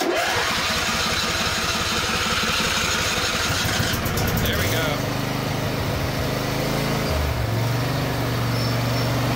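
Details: Riding lawnmower jump-started with a 12V jump pack. It cranks rhythmically a few seconds, then catches and settles into a steady, even idle: a normal start.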